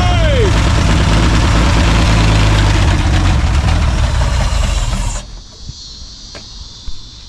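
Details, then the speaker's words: 1954 Ford F250 rescued from the junkyard, unrun for an estimated 20 years, new battery fitted and ignition points cleaned. The old engine fires and runs with a steady low throb before shutting off; running normally. "Saved it from the junkyard, and it runs! It's exciting."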